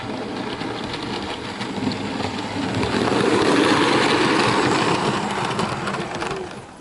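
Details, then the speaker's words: Bachmann OO gauge SE&CR C Class 0-6-0 steam locomotive, new and running in: rumble with a light rhythmic squeak from the loco, not the tender; owner suspects dry coupling rod crank pins needing lubrication. "so after this locals had a bit of running in it seems to be making a squeaking noise as you can hear that's definitely coming from the loco not the tender"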